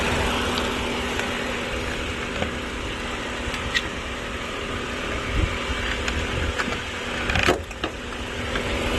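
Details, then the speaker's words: Auction car inspected on an outdoor lot, clean engine bay, 97,000 miles: under lot noise a smooth, even idle hum without ticking, knocking or misfire; engine sounds healthy. "all right the engine sounds good looks good it's clean"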